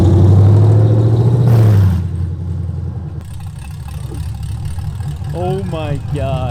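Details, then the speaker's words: 2022 Chevrolet Camaro LT1 with 10-speed, first start after BBK long tube header install: a heavy knocking rattle at idle that sounds like rod knock is a loose heat shield clamp on the secondary cats vibrating; engine needs a tune. "that noise that sounds like the motor's about to send a rod to God is actually just one of the heat shield clamps on the secondary cats that we didn't tighten back down so it's vibrating at idle like crazy"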